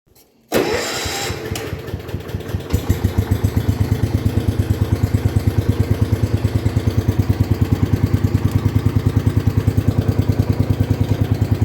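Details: 1972 John Deere 110 garden tractor that sat in a barn for years, after a service with new fuel filter and fresh oil: cranks, catches within a second, even single-cylinder thump about three beats a second; runs healthy.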